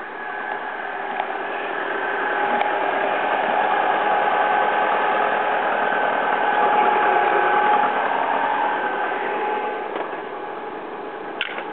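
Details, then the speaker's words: 2001 Alfa Romeo 147 T-Spark petrol, 5-door, just jump-started, first run since before Christmas: even steady idle with smooth regular beat, no knocks or misses; normal idle. "that's the engine still sounds quite smooth since started before Christmas"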